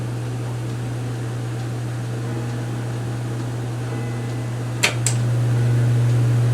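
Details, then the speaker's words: Late-1980s hugger ceiling fan, said to be at least 40 years old, switched from medium to high: a steady low hum, then a click, and the note rises smoothly, even and free of rattle or scrape. The bearings are in good shape. "and high moves a bunch of air and let's spin it down and as you can see the bearings are pretty good shape for being at least 40 years old"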